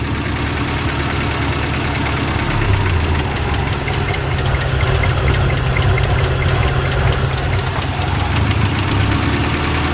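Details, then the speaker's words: 1990 Ford Festiva with new rod bearings and lash adjusters, an engine flush and cleaned cam oil passages: light, rapid, even ticking over a steady idle that gets louder with the oil cap off. Top end tick, source unconfirmed. "so definitely sounds like a top end tick to me and it does seem to get louder with the oil cap off to me it sounds like it's right in there"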